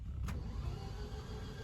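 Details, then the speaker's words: Ford Escort Ghia Cabriolet on a fresh battery: the starter cranks steadily but the engine never fires. There is no spark, the fuel pump is not heard priming, and the immobiliser light comes on then goes out. Crank no start, cause unconfirmed. "Apparently there's no spark, so I'm assuming that means it cranks over, but it doesn't start obviously."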